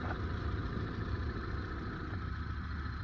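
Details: Hyundai Santro after timing belt and tensioner, power steering and AC belts, and power steering pump bearing replacement: smooth steady low idle with an even hum, no whine, rumble or knocking; normal idle.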